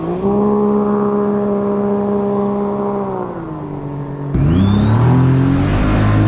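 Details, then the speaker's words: 2017 Sea-Doo RXT-X Rotax, after a wiring and fuse-box problem was chased: steady smooth hum drops then climbs cleanly as throttle opens, no misses or knocks; revving clean and healthy. "w wow that sounded pretty good it sounds nice and clean"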